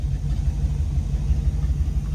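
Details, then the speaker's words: Dodge Dart V8 after long storage, first run with all eight cylinders: deep, even rumble with steady low beat, no knocking or missing; normal running. "Listen to this thing. This is genuinely the first time it's ran"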